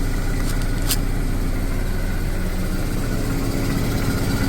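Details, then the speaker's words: Mazda RX7 FC rotary just started after being flooded, cold, idling around 800–900 rpm with oil pressure; low uneven idle with slightly lumpy pulse about two beats a second, not particularly smooth but running. "looks a bit lumpy it's not particularly smooth but it's running so it was flooded all along"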